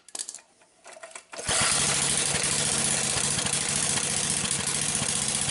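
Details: Zombie Briggs small single-cylinder engine, test run with newly soldered plug wire: fires and settles into a fast, steady, even run with a sharp crackly exhaust; running normally.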